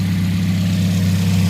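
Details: 2010 Toyota Yaris, 1.5 L 1NZ petrol engine, manual; a steady, even low hum with no misses or knocks; the engine idles smoothly and sounds healthy.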